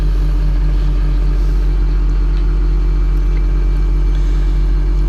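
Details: John Deere 700K dozer (DEF diesel) just started on a mild morning of about 50 degrees, warming up: deep, even diesel rumble at a steady idle with no misses or knocks; a normal, healthy idle.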